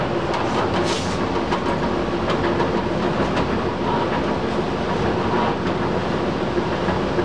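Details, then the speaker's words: Old squirrel-cage blower running just after a worn belt was replaced, belt possibly a little too tight: an even rush of air with a soft light rattle and no belt squeal, much quieter than before. "as you can hear it's a lot quieter a little bit of rattle to the blower it's softer"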